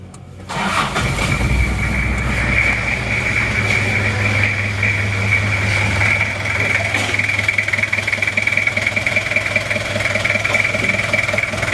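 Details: Toyota Kijang LGX diesel after valve clearance adjustment by replacing one shim, started without air filter: cranks, catches and settles into a steady, even clatter with no valve tapping; previous bok-bok noise gone.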